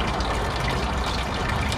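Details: 220 V, 200 W electric water pump after its failed start capacitor was replaced, with water flowing. It has a steady, even motor hum with water rushing through: normal pump running after the repair.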